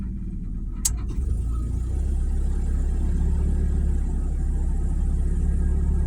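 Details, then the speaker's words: 1997 Mazda Miata NA at idle: a click as the AC compressor engages, then the idle bogs and lumbers unevenly, struggling to recover; rough idle under AC load that improves with the AC off. "Sounds like it's trying to catch up. There it goes. Here's the rough idle. I can turn off the AC and it'll do a little better."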